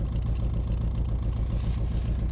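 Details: 2006 Nissan Altima: petrol engine idling with an uneven, lumpy beat from a misfire.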